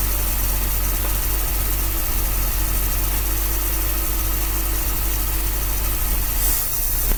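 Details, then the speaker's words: 1966 Dodge A100 van, 225 cubic inch slant six, after a long sit, running on a jumper wire to the coil: an even, steady low idle rumble with no misses. Normal idle; the accelerator pump is dried up. "okay cool just connector jumper that's running pretty good"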